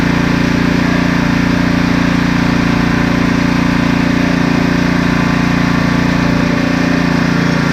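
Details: Husqvarna ST330T/ST332 snowblower, small single-cylinder engine, after fixing a no-start: holding a steady, even idle with no misses or knocks; runs normally now.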